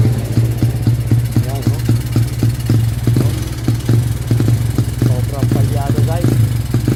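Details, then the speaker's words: Motorstar motorcycle with a freshly cleaned carburetor: the engine runs with uneven, stumbling pops as it revs. The battery tested weak, and an electrical problem is suspected. Misfire, possibly from the weak battery. "No parang kinakapas yata sa kuryente kasi bago linis daw ang karburador guys eh."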